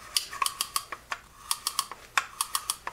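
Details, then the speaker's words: Penn Squall drag reel for ocean fishing, clicker engaged while the spool turns, taken apart: crisp, even clickety-clack about four to five clicks per second, louder at higher clicker setting; clicker working normally. "And that provides more or less clickety-clack when you're coming around."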